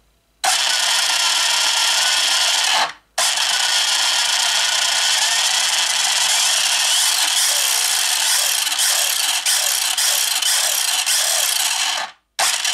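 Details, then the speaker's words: 1/8 scale Hennessey Venom GT RC car with a new brushless motor, bench-tested on a table: a clean high-pitched electric whine rising and falling smoothly with throttle, no grinding or rattle; normal running. "i just tested it gave it a little test run uh here on my uh little table thing and it's looking pretty damn good i will admit it's looking pretty good guys"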